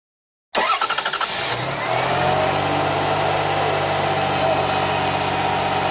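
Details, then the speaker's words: 2000 Lexus RX300 with 1MZ-FE V6 after starter motor replacement: brief quick cranking, then the engine catches at once and settles to an even idle; starter and engine healthy, normal start. "you hear that I'm starting up pretty strong let's do it yeah and we're done"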